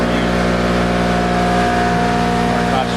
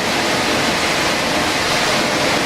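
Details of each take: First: Airrex HSC-60 portable spot cooler with power legs L1 and L3 deliberately swapped out of phase: loud drone with high whining squeal as compressor runs wrong way, then compressor cuts out for 60-second protective countdown leaving only blower; can show E4 error. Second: Airrex HSC-60 portable spot cooler running correctly phased: steady, even rush of air from the blower motor with no high compressor squeal on top, which would come with an out-of-phase E4 condition; normal blower running.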